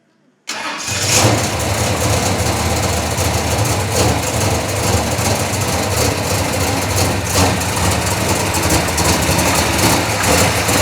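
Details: Chevelle V8 with Edelbrock Pro-Flo 4 EFI, 13.5:1 compression, said to run E85, injection not yet fine-tuned, 3.5-inch header collectors into 3-inch exhaust with mufflers: quick crank, catches at once, settles into deep, slightly lumpy idle; normal start.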